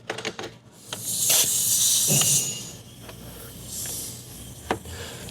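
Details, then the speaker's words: Leak-down test on a 2019 Hyundai Tucson GDI, about 130,000 miles, with a cylinder 2 misfire, rough idle and new plugs: 80–82 psi going in, only 10 held. Air hisses out loudly in surges and the cylinder is failing. "well we got 80 lbs going in it 80 yeah 82 only 10 is staying in it so that's terrible"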